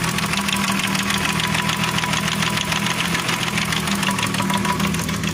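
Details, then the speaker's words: Timing chain noise at idle; owner suspects the new tensioner is faulty. A fast, uneven metallic rattle and ticking sits sharper than the engine note; owner considers switching from 10W60 to 15W50 oil. "quand la pression d'huile est montée, ça s'est estompé, ça s'est arrêté. Parce que l'huile était froide."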